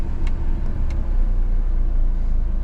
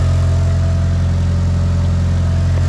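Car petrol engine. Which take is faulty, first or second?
first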